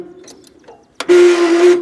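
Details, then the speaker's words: Gravely 20G, unstarted since November, jump box on a dead battery, choke on, idle throttle: short harsh dry whirring starter drone as it cranks without starting; owner suspects the starter needs oil again. Noisy starter cranking. "starter needs oil again listen to that come on baby start baby start"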